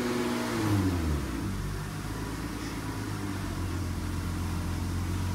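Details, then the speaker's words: 2002 Acura TL-S with 317,000 miles, heard from inside the car while held at 2,000 rpm and turned lock to lock about five times to bleed air: a steady engine hum with no pump whine or fluid groan. The power steering pump sounds normal. "And from inside the vehicle, I don't hear any power steering fluid noise or any power steering pump noise. So that's good."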